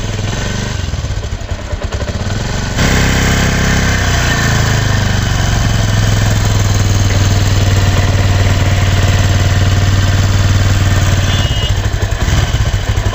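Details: Bajaj Discover 135 DTS-i engine at idle after start-up with a fast, steady metallic rattle over the exhaust beat; timing chain noise persists even after a new timing chain tensioner was fitted, as the chain is not tensioning properly; clutch side and head cover to be opened.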